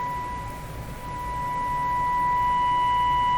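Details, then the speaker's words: B&K 1040 CB ServiceMaster with 2040 CB Signal Generator and 1450 oscilloscope: AM test tone turned up until overmodulated, tone turns harsh and buzzy, waveform squaring off with sharp peaks from higher harmonics, audio distortion from overdriven modulation. "hear that hear that buzzing sound can you see that it's squaring off here it's changing shape"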